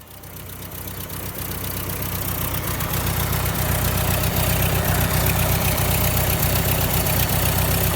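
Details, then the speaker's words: Ford tractor with Select-O-Speed transmission (1959 871 or 1968 3000 three-cylinder), running in neutral during band adjustment: steady even putter idling at about 900 rpm against an 800 rpm spec; idle slightly high. "here if you see there I have it uh loosened up and I have it idling at about 900 RPM supposed to be 800 but that's not too bad"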